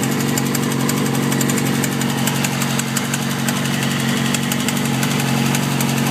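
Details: 2007 Yamaha R6 idling: sharp even tick about four times a second, came on suddenly while riding and grew louder; recent valve adjustment, plugs, oil change; owner suspects cam chain tensioner or low oil; cause unknown.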